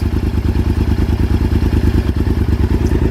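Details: 2000 Honda VTR1000 Super Hawk V-twin, rejetted, revived after 12 years in museum display, just after cold start at about 85°F with choke off after 30 seconds: even lumpy twin thump at steady idle, no stumbling or hunting.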